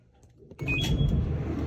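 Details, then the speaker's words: LG electric dryer after repair of loud rumbling and vibration caused by drum misalignment: low even drum rumble, no scraping or banging, running smooth and quiet. "and look at at the difference or listen to the difference you can hear yourself talking now man that was that was bad"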